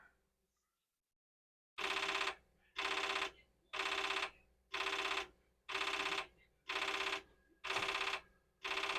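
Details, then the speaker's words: Commodore 4040 dual disk drive: sharp buzzing clatter bursts about once a second, evenly spaced, as the drive head bangs against its stop; this later ends in a read error. "Oh, now it's funny. It's banging, but it's different."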